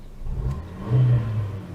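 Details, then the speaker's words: Fiat Panda Mk3 1.1 four-cylinder: short clean rev rising and falling smoothly, low even hum with no rattles or knocks; runs very nicely. "fairly bland modern four-cylinder engine uh just runs very nicely"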